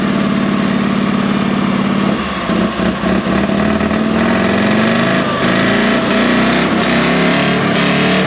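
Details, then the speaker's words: Panhard AML90 armoured car, heard from the rear after starting in neutral: engine runs steadily with a firm, even beat, then picks up smoothly when revved, with no knocks; a healthy-sounding engine. "camera doesn't do it justice that is a wonderful sounding engine in there"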